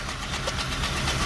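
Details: 2000 Lincoln Town Car 4.6 V8, 108,000 miles: rough idle with faint irregular knocking; owner suspects fuel knock, possibly catalytic converters, cause unconfirmed.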